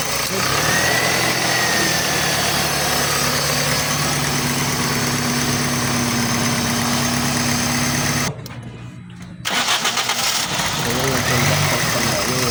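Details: Engine with a no-crank/no-start issue involving the crankshaft position sensor: it cranks, catches and settles into a fairly steady idle with a brief dropout, then runs on evenly; sounds healthy.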